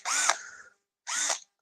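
Two short bursts of high whirring, each spinning up quickly and smoothly, from a healthy small drill running freely.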